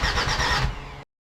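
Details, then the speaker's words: Jeep Grand Cherokee WJ 2.7 CRD OM612 diesel, freshly rebuilt, with fuel struggling to reach the filter: about a second of uneven cranking that never catches. Owner suspects the new injectors and plans to refit the old ones. "Okay guys, I had some time to think about it last night, and I think that my injectors are stuffing me around."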